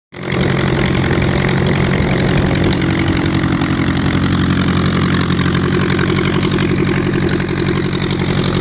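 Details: VW Type 1 air-cooled engine, first run after fitting new valve adjustment screws: catches and settles into a steady, even idle with a smooth regular beat, no ticking or knocking; normal idle.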